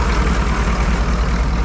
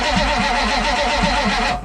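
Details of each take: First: 1985 Chevy K30 4x4 rollback wrecker: after freeing a stuck injection timing advance arm with penetrating oil, it idles low and even with no smoke or hunting. It had been way over-advanced, and the arm still doesn't fully return on its own. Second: 1985 Chevy K30 4x4 diesel rollback wrecker, after bleeding fuel filter and below-freezing night: starter cranks at even churning beat, never fires; only a trickle of fuel at cracked injector line.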